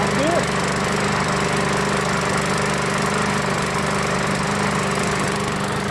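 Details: Craftsman lawnmower with newer Briggs and Stratton 550 engine with plastic carburetor, started after adding oil and gas; steady, even single-cylinder beat, clean and consistent, sounds healthy. Normal running.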